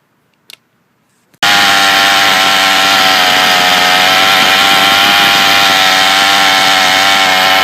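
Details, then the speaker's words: Troy-Bilt TB32EC two-stroke trimmer that bogged at full choke-open, at sea level: high-speed screw turned in fully then backed out until maximum sounding power; steady high-pitched full-throttle scream holding even. "Depress the throttle here all the way. And with it, press all the way. Unscrew this until you hit maximum sounding power."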